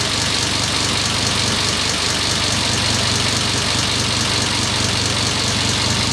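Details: Porsche 944 Turbo swapped with a 07K five-cylinder, first start after long cranking to prime oil pressure, no coolant yet: steady, even five-cylinder idle, smooth low pulse, no knock or misfire, very quiet; normal idle.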